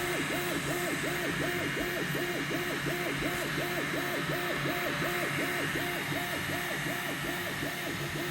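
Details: N4 Pro printer during motion: a squeaky chirping tone rising and falling in a steady cycle about three times a second over fan hiss.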